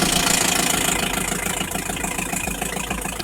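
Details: Steady even diesel clatter at idle on a BMW 320d E46 with M47 engine after diesel fuel filter replacement that fixed hard starting and power loss; engine idling normally.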